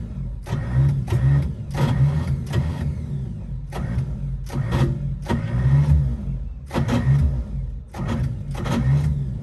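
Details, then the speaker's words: 1955 Chevy after sitting, on a jump box with starting fluid: repeated bursts of steady cranking that never catch. Owner suspects timing is off. "dang it sounds like the timing might be off"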